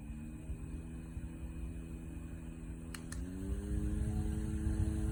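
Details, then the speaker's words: JISULIFE handheld fan with 4500 mAh power bank running: steady whir with a faint buzzy rattle, likely something loose in the fan housing, cause not clear. "You hear the rattling noise?"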